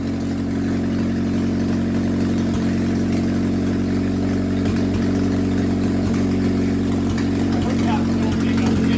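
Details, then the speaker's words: Willys F134 engine, started after sitting for years, fuel pressure regulator just fitted: runs steadily with a slightly uneven, loping beat and some chatter; somewhat rough, too much fuel suspected. "You're getting too much fuel again, do you think?"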